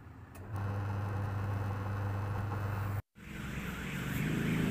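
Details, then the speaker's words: Polytron washing machine tested after a repair at the pulsator, which had been very noisy and would not turn when held: now a steady even motor hum with no scraping, running normally. "Iya sudah berputar tidak ada suara berisik lagi udah normal ya ini sudah bisa bekerja seperti sedia kala"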